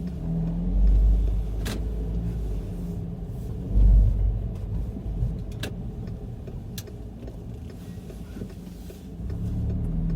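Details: VW Golf GTI Mk5 driving; deep road rumble with sharp irregular clunks every second or two. Cause unknown even after replacing engine and transmission mounts, stabilizer link, front/rear suspension and mounts, bearings and CV joint.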